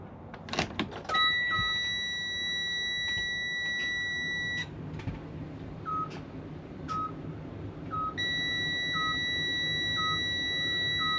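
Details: Freightliner Cascadia no-crank, no-start truck in neutral, tried with direct power from a Power Probe: steady high chime plus short beeps about once a second in a quiet cab, no cranking; idle management warning shown, CPC failure suspected.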